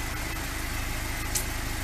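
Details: Lada 2102 after a carburettor rebuild and ignition fix. A steady, even idle with a smooth low pulse and no knocks or misses: healthy running.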